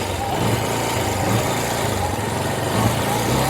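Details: Bajaj Discover 135 after rejoining the wire at a burnt headlight wiring socket: steady, even single-cylinder idle with smooth low beat, no misses or stumbles; headlight steady, problem fixed.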